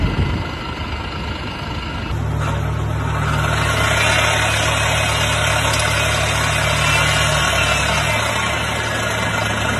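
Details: BMW i8 air conditioning compressor, which also cools the high-voltage battery; low steady droning hum with a rough edge at idle; noisy compressors reported to fail internally, scattering metal through the refrigerant lines.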